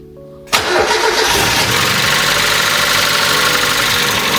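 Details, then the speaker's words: Mazda MX-5 barn find started after 13 years stored, run a second time after engine flush and second oil change: engine catches at once and settles into a steady, even idle with no knocks or misses; timing belt still needs replacing; normal running. "Okay, so it's over for now. Engine is running."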